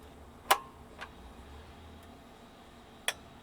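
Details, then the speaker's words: SAE Mark IIICM amplifier at switch-on: one sharp click, then a second about 2.5 seconds later over a quiet hum as the soft-start relay brings in full power. Normal operation. "you should see that close and you should see which will bring in full power and that's the soft start circuit"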